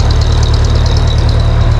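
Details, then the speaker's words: Ford 8N tractor, warmed up and running on its own after sitting a while: deep, lumpy, uneven idle; rough running, carburetor adjustment still planned, carburetor not the original problem. "Still doesn't seem like she's running real great. A little rough, but"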